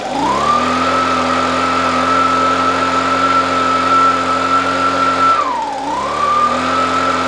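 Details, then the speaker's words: Echo PB265L backpack two-stroke blower after a no-start fix (clogged air filter, no fuel): restarted cold, steady high-pitched drone at even revs, one brief dip and clean recovery; runs healthy. "cut it back on cold start chokerized oh yeah she's pumping good"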